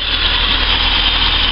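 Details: Car idling after throttle body and idle speed control valve cleaning, engine still not fully warm: steady, even hum with no dip on throttle blip; normal, stable idle, still slightly high while cold.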